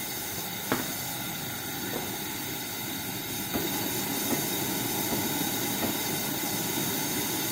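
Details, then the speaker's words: Old Coleman 500 single-burner stove, warmed up and set to the burn position, gives a steady, even hissing roar. It is burning hot with a slightly yellow flame and running well. "got a little yeah little a little bit of a yellow flame and it seems like it's burning pretty hot though it sounds like it's running pretty good"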